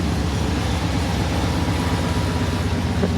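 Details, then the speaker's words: Old lowrider that has rarely been driven lately but always fires right up: low, even idle rumble at about two beats per second, no knocks or misses. Normal idle. "No matter what, she always sounds good."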